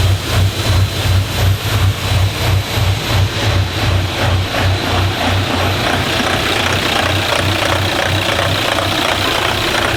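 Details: Diesel in a DervBus project running warm after initial trigger and timing setup, extractor on; low thrum pulsing evenly about three times a second, settling into a steady run — normal running.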